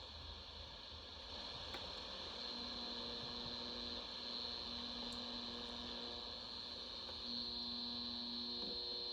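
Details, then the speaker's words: General Electric 7-2930D radio on AM, used indoors near electronics, with known oxidation issues: steady hum with hiss and faint whistles over weak reception; AM interference hum, suspected from nearby electronics. "Yeah, because I'm inside, I'm not getting very good AM reception. Could be better."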